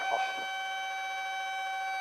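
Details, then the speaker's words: Light aircraft in a stall practice, yoke pulled back, controls sluggish and buffeting felt: continuous steady horn tone, the stall warning growing loud, the wing at or near the stall. "Feel how the controls are getting kind of sluggish? Yeah. And you feel the buffeting? That's the stall horn right there."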